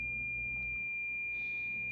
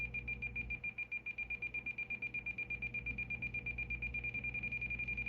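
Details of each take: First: President George FCC CB radio in SWR mode: a steady, unbroken high-pitched tone meaning SWR 1:1, properly matched antenna; high SWR instead gives beeping that speeds up as the match improves. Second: President George FCC CB radio in SWR mode: high electronic beep pulsing faster, about five a second, as antenna tuning approaches a good SWR; a solid tone means 1.0 (1:1).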